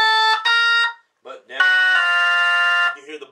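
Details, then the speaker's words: Jensen V21 Leslie upper horn driver fed by a Leslie 122 amplifier, playing a 1963 Hammond B3 organ: raspy buzz on lower notes that mostly clears higher up, some buzzing remains, before repair; rubbing diaphragm. "so it's buzzing and when it gets on up into the higher note it starts clearing up there's still a little buzzing"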